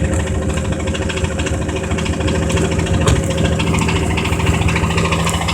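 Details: 1982 Camaro with a GM 2.8 V6 and rod knock: at idle a deep, steady knock under the engine note from a worn rod bearing, before being revved past redline.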